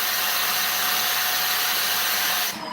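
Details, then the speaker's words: Vacuum cleaner with no suction, tested with the wand reattached: steady high airy hiss over the motor whine until switched off; the relief valve is bleeding air, so the clog is in the wand. "That sound came back. That means if you're doing the if you're following this the way I'm showing it, the suction should be in the wand. The problem is in the wand somewhere and that's how we break it down."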